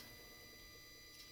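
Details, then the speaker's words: Mercedes W204 C63 AMG with newly installed aftermarket Android Auto/CarPlay head unit: quiet steady high-pitched buzz with fixed tones through the audio; suspected ground loop from a wire, unconfirmed. "Number one, you guys can probably hear that buzzing sound."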